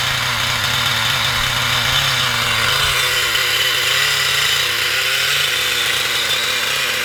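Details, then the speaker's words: XTM Monster MT nitro truck, rebuilt with old parts, needles set flush without base setting: loud, raspy buzz at steady speed with sharp top end; runs all right but extremely loud, dislikes revving; owner thinks the exhaust silences a lot. "seems to run. All right. Loud though. Don't like being revved. The engine itself is extremely loud."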